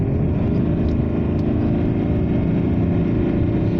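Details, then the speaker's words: Vauxhall Omega diesel on a road test up to about 60 mph after injection pump seal replacement and reattaching detached hoses: a deep, even drone pulling steadily with no knocks or misses; feels livelier; normal running under acceleration. "I'm sure this car feels more lively than it did when when I first got it it's feel feeling positively muscular at the moment"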